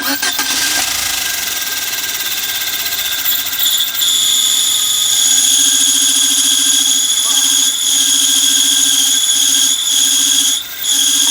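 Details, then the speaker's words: Peugeot 307 arriving at the workshop: right after start-up a steady high-pitched singing holds a constant pitch over the idle; noise from the clutch. "Vamos acompanhar um pouquinho do trabalho dele aí, ver o que aconteceu na caixa ali, na embreagem, para o carro estar fazendo esse barulho."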